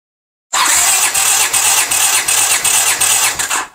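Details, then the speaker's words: 1982 Honda GL500 twin, compression test on left cylinder reading 150 psi (right also 150); brisk even cranking with regular compression beats, no firing; normal cranking compression. "we got 150 good all right and here is the right cylinder"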